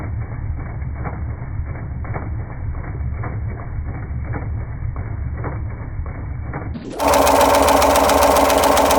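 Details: Jeep Durango 4.7 engine: steady regular ticking knock about four per second over idle, louder as revs rise; internal engine knock.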